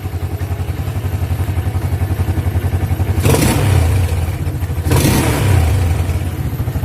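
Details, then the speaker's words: Yamaha Jupiter MX with AIS air-injection system, AIS cleaned about a year earlier. Fast even idle, then two sharp exhaust bangs right after the throttle snaps shut. Deceleration backfire; dirty or leaking AIS component suspected, being checked. "yaitu ketika kita gas dan saat dilepas dia meledak ya pada knalpot"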